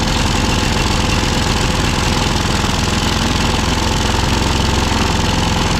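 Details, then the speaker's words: ZT200 mower twin after ignition conversion and carb parts, cold, on choke, run indoors: fast chuffing idle around 200 beats a minute, a little uneven; running normally but slightly rough when cold. "oh i should've done that outside okay it runs i'm happy with that"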